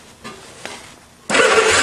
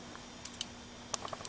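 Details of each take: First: Old two-cylinder go-kart engine, long stored, test plugs fitted for a spark test: starter spins it steadily for two seconds but it never fires. No spark, suspected dirty ignition points needing sanding. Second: Go-kart engine with points and condenser ignition, just sanded and closed for good contact: sharp, dry irregular snaps in a quiet room as the spark plug jumps; ignition sparking normally.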